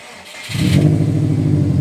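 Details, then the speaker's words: Prodrive Subaru Impreza STi on a mild rebuild, restarted after removing an aftermarket Sigma alarm that blocked starting: brief crank, then a smooth, even low idle, quieter than expected, no misses or odd noises, no apparent fuel leaks; healthy start. "and it's actually a lot quieter than what I thought it would be"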